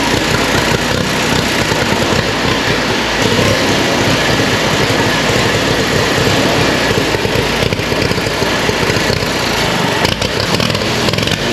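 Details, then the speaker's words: Allis-Chalmers WC tractor, year unknown, carburetor needing cleaning, exhaust manifold rusted through, suspected intake pinholes: loud, ragged engine note with an uneven, stumbling beat that never smooths out; still runs rough. "H still doesn't run the best all right well it runs"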